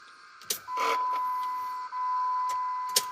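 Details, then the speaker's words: 2004 Jeep Grand Cherokee 4.7 High Output, 225,000+ miles, after fuel injector replacement; key cycled without starting, coil out, leak check; key clicks then steady high whine about a second each cycle. Normal fuel pump priming. "i've heard the fuel pump kick on each time"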